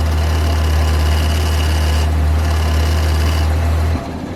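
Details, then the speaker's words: At idle after a burnout, a steady high whine and buzz ride over a deep hum, then drop away; the damaged power steering pump is due for replacement. "Yeah, that would be a power steering pump right there."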